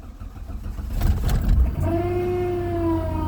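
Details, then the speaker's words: 1998 Chrysler Cirrus LXi V6, 124,000 miles, cold start at 19°F after replacing distributor and spark plugs to cure a start-and-die issue; brief cranking, catches under two seconds, smooth steady idle; healthy. "little car start right up"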